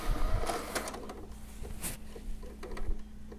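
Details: PS4 Pro optical drive making eject noises with unrecognized disc error: quiet whirring with irregular bursts of clicks and clunks as it tries to load.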